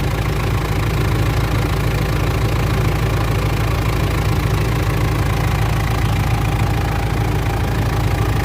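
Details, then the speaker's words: Mitsubishi L200 Triton 3.2 diesel after timing chain replacement for a noise at normal operating temperature, now cold at idle: low steady rumble with even combustion clatter and no chain rattle; healthy cold idle. "Aí, pessoal. Olha o barulho da bruta aí, ó. Que barulho mais bonito. Zerou, pessoal. Zerou."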